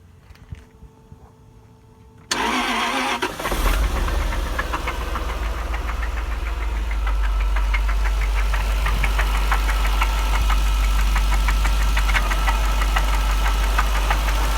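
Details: 1999 Jaguar XJR V8 starting and settling to idle with a steady sharp knock about three a second, after secondary tensioners were replaced and it overheated on a drive; owner asks if rod knock; not confirmed.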